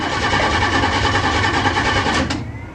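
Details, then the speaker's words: A 406 engine with a new DIY fuse and relay panel, distributor connected and fuel present but no cooling, long unstarted and cold. The starter whirs rapidly about two seconds without catching; it started on later tries. "let's hear the 406 bark here we go no oh oh come on don't disappoint me i guess it doesn't want to start"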